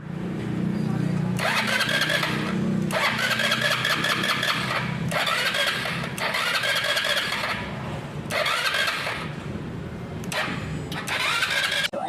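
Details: Easyride 150CL motorcycle: repeated cranking bursts of a second or two, the engine catching briefly then dying over several tries; hard starting, cause unknown.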